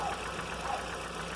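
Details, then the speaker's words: Audi A3 20-valve engine at quiet idle: faint, quick ticking from the top of the engine; louder at start when parked facing downhill, less on level ground, some days absent; owner suspects lifters or oil pump pressure, untested. "Tem dia que nem faz barulho, mas se eu deixar ele na descida, numa descidinha, na hora que eu ligo, o barulho é imenso. Quando eu deixo ele no reto, ele já diminui."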